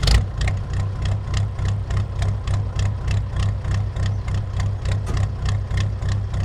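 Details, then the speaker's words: Ford F350 fitted with an air-cooled Deutz diesel with new full exhaust: loud clattering idle pulsing about three times a second over low rumble, smoking until warm; a very rattly but normal idle. "This thing is a very rattly motor."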